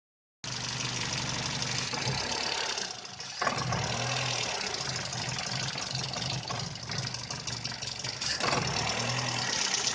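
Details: VW Polo 6N idling: lumpy, unsteady idle dipping and stumbling around three seconds in before recovering; rough idle, cause not found.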